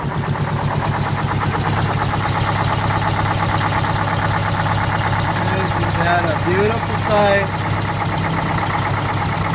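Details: 1969 International 400 dump truck, Detroit 8V-71 two-stroke V8 diesel, after cracked bell housing chained shut and air starter used, fuel stabilizer and cetane boost added: even steady rumble, fast regular beat, no misses or knocks; normal idle.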